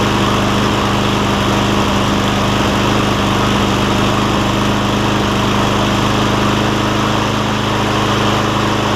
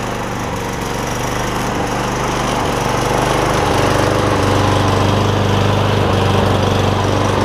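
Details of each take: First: Cub Cadet SR621 mower with a Kawasaki engine, just after carburetor replacement and with old gas diluted: it drones with irregular stumbles for the first 30 seconds to a minute until the mixture settles, then runs great. Uneven running during warm-up. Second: Kawasaki-engined Cub Cadet SR621 push mower after carburetor replacement, first run after long storage, no blade fitted: steady, even single-cylinder putter at fast idle with no misses or knocks; normal running.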